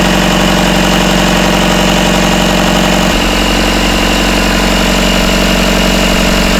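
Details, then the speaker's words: Rebuilt Isuzu 4BD1T diesel in a Hitachi EX120 excavator, first start, about 1250 rpm, still warming (about 100°): loud steady idle with even firing and a slight shift partway, no rattle after loose rear bolts were tightened; healthy. "let me tighten these up just uh putting in a throttle lever here okay okay let's see if that sounds it's not rattling it's about 1250"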